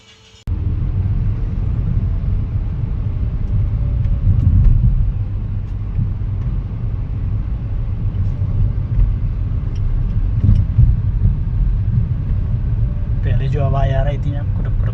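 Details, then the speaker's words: Hyundai Aura on test drive after steering column knock repair: steady low road rumble, no knocking or clunks through the steering column; fault fixed, normal running. "कुटुक कुटुक वैसी कोई आवाज नहीं है।"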